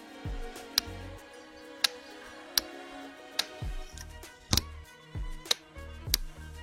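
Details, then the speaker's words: Honda GL Pro motorcycle during electrical restoration: the engine cut-off relay clicks sharply about once a second as the cut-off switch is turned on, with the ignition key on and the speedometer lit; the relay is switching cleanly and working normally. "Kedengaran ya Kak suara kerja relay cetak-cetik."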